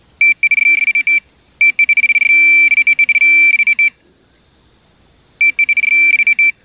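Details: Minelab Pro-Find 40 pinpointer held sideways at max sensitivity with tone ID on: a bright high beep comes in fast bursts, then holds steady over a US clad dime, the non-ferrous target tone.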